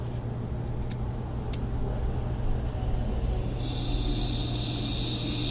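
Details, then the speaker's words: 2000 Dodge Neon 2.0 SOHC on a leak-down test, next cylinder: over a steady low hum, a sharp hiss starts partway through as air leaks out the intake past the intake valve; the head still has to come off. "it's coming out the intake right now we'll turn this fully again still leaking out the front here looks like it's the right valve yeah it's still leaking"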